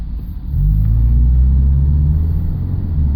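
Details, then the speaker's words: 2000 Subaru Legacy, high mileage, pulling off from stop toward hill at half throttle: deep labored rumble that won't pick up cleanly though tach shows normal revs; bogging, struggling under load, cause unknown. "Listen to that. Struggling. A lot of struggles. I'm like halfway pressing the gas, and this is not very good."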